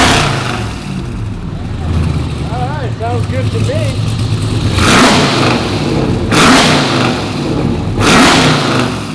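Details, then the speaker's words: Ram TRX with a Hellephant 426 supercharged crate HEMI swapped in, first run on a base calibration file, on the lift: steady deep idle, then three quick blips rising and falling cleanly, no knocks or rattles; revs smooth, healthy. "I don't hear any bad noises. I don't see any bad fluids on the ground. Sounds like it revs smooth, so that's great."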